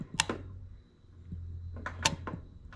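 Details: John Deere LA135 (100 series) mower that started then died after a few seconds: a sharp click each time the key goes on or off over a faint hum. The carburetor fuel solenoid now works; it could not be heard before.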